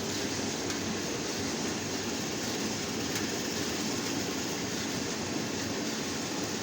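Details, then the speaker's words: Cleaned Ninja Set 8 kg B-class condenser tumble dryer after a minor fix, heating element on: steady, even rushing hum with no knocks, squeals or scraping; drum spins smoothly, normal rotation. "spinning really good heating up now turn it off please"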